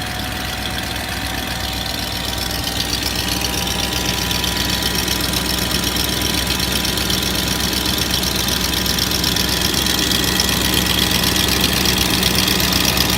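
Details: 2004 Range Rover HSE, BMW M62TU 4.4 V8, after full timing chain job and Beisan VANOS seal kit, with P0011 and P0012 codes: steady idle with an uneven, loping beat of about four pulses a second under busy mechanical clatter. Rough idle.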